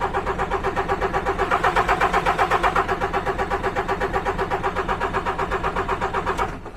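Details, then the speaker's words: DAF MX-13 truck engine (model year 2017, 530) with ticking complaint at 1000 rpm, unit pump test on pump unit 1: steady even cranking about four beats a second that never fires; won't start, suspected camshaft follower or unit pump, camshaft likely failed. "So it won't start on pump unit 1. This could be potentially a camshaft follower or a unit pump issue."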